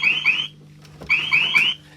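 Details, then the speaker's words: Arcade machine starts up with the door shut and gives two rapid groups of high chirping alarm beeps about a second apart, flagging no 24 V drive supply; owner suspects a dodgy motherboard and plans to replace it. "that starts up, if I shut the door, so no 24 volt drive."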